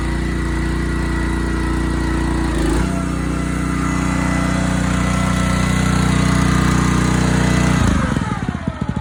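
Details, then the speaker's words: Honda GX160 on a Splitfire wood splitter, earlier bogging under splitting load, after carb clean, jet check and oil change, warming up: steady, even running, no bogging or surging, then smooth wind-down at shutoff; normal running. "Heat up here. Sounds like it's fine."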